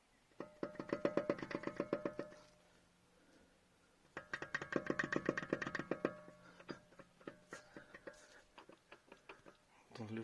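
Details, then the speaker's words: Opel Astra J drive shaft rocked back and forth by hand, giving bursts of quick dry clunks; owner suspects play in the drive shaft, having also heard noises over crossings despite new struts. Drive shaft clunk, cause not confirmed. "привод привод брякает вот если его туда-сюда делаю"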